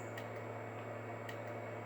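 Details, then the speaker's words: Galaxy 959B CB radio with econ box on bench: two sharp isolated relay clicks over steady hum; relay pulls in but radio never keys up. Cause unconfirmed; microphone suspected. "i hear a relay clicking inside of the econ box but it's not it's not making the radio key up"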